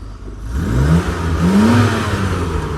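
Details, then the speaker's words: Rover SD1 2600S, back running after 17 years stored, revved after new exhaust fitted: short clean rev rising and settling smoothly, no rattle, blow or drone from the rear; nearly silent, running extremely well. "now i fit that exhaust absolute silence nearly so running extremely well"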